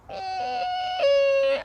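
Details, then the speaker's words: 2020 Mazda MX5 100th Anniversary edition, after one year and 11,000 miles of ownership, with a wet window going up or down: a loud squeal of about 1.5 seconds dropping slightly in pitch; window seal squeal, subject of a Mazda technical service bulletin. "the next one being these windows when they go up and down when it's wet they make an almighty"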